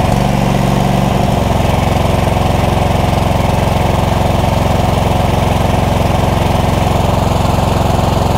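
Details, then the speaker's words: Cub Cadet GT2 LX42 tractor that had no-start and rough-running issues after many parts were swapped. A loud, uneven, lopsided low thumping; the owner suspects it is cutting out on one cylinder and plans a spark tester on each cylinder. Rough running, cause unconfirmed. "so one cylinder is it going down to one cylinder i think it might be cutting out on one cylinder just you know based on the weirdness of that"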